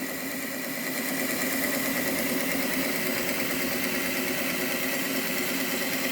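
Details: Repaired Hornby Class 57 model loco, previously dead, on rolling road test bed; constant light hum and thin high whine, level with no stutter or grinding; a really good runner.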